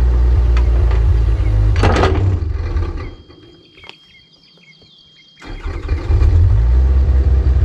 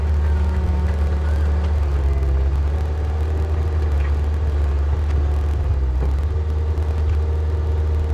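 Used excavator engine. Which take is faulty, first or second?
first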